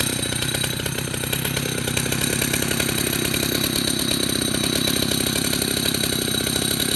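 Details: 1974 Husqvarna L65 vintage two-stroke chainsaw: loud steady buzz holding even high speed with crisp rapid firing rhythm; runs strong and healthy; normal running.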